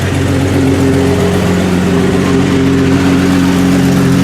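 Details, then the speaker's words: 1989 Jeep YJ at idle, exhaust far louder than it should be, forcing shutdown at drive-throughs: loud, raspy, blatting idle with a hard edge on each firing pulse, before the exhaust system replacement. "And if I was still 16, maybe I might like that, but you can hear how loud that is, and it is not supposed to be that loud."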